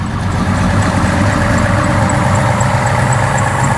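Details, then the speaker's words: 2002 Chevy Silverado Z71 V8 with Sniper fuel injection, first start after sitting about two years abandoned: a steady idle with a faint high chirp repeating about four times a second. A squeaking serpentine belt. "and a squeaky belt"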